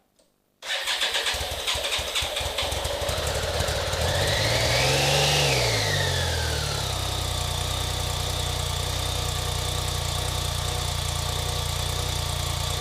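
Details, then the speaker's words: BMW K-bike with horizontal cylinders, cranking but not starting after winter storage, starts first try after 10 cc oil per cylinder restores compression; revs briefly, then settles to a smooth, even idle. Expect smoke from the added oil. "By putting 10 cc's of oil into each cylinder, you're going to restore the cylinder's compression. And the engine should start again."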